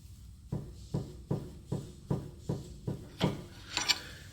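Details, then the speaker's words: Pry bar levered between the lower control arm and ball joint: repeated dull clunks about one every half second, play inside the dust boot; lower ball joint worn and needs replacing ASAP. "and that means that right here inside of this dust boot that ball joint is loose it Dev veloped play and this really needs to be replaced ASAP"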